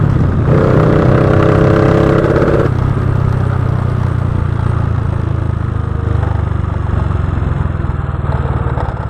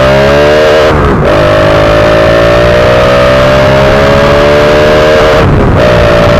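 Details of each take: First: Honda Wave 125i fuel-injected motorcycle running rich with a PCX150 injector fitted: on small pulls the revs sag and the exhaust goes uneven and stumbling, hesitating on acceleration. Recently replaced fuel pump suspected of adding fuel. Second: Fuel-injected Honda Wave 125i on the road after replacing the fuel injector to cure a rich, stumbling condition. The engine note climbs smoothly through the gears with clean drops at two upshifts and no hesitation; acceleration is now normal.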